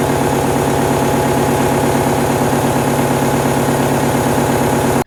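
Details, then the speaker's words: VW Mk1 Rabbit with replaced TDI diesel engine, idling after starter replacement: fast, even metallic clatter over the low thrum; the "death rattle" persists, source unknown, fuel pump suspected, to be disassembled and cleaned. "Oh jeez. Well, death rattle is still present, which honestly makes me wonder if I'm looking in the wrong places for it."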